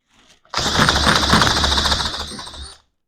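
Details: Johnson Seahorse outboard after carburetor refit and impeller change, choke position uncertain, possibly no fuel: rapid, even chuffing about four beats a second under a high whirr, never catching; cranks but won't start.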